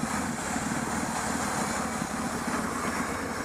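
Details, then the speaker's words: Idling petrol engine with a steady airy hiss over low uneven pulsing: vacuum leak giving a lean condition, short-term fuel trim 20.3% and long-term 16.4%. "That means that this engine is running very lean. More lean than the other one. So what we do is what we got is a lean condition. You can actually hear it. If you hear the hissing,"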